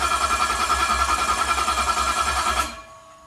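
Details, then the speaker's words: Ford 351 Cleveland 409ci 769hp engine on a run stand, 164-tooth ring gear, 3/4 inch starter on a bracket without bell housing; steady starter whir with even pulsing about 3.5 per second, cutting off cleanly, normal cranking. "I like it turning over."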